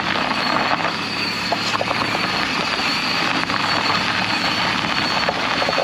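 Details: 2008 Chevy Equinox while driving: a thin, steady high whine rides over loud road and wind rush at cruising speed; source unclear, needs tracing.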